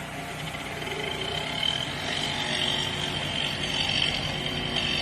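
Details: 24-inch ventless dryer on the air-dry cool cycle, no error codes: thin scraping hiss over the running drum with an uneven rub a few times a second; rubbing noise, cause unknown.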